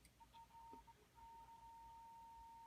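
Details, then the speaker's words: Zenith 5R086 radio after restoration, run through an isolation transformer with a signal generator fed through a capacitor into the phono pins: a clean, steady high tone comes through the speaker, so the phono audio stage works, though radio still leaks through. "So it's making the tone. I presume you can hear that. So The phono side is working."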